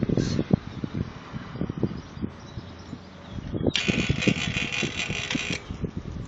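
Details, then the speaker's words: Edison 40-pint dehumidifier compressor hotwired with only the humidity switch connected; harsh irregular buzzing and clattering instead of a steady hum, won't start: locked rotor suspected, compressor dead. "oh did not sound too good yeah sounds like we got a locked rotor or something that does not sound good at all that compressor is toast"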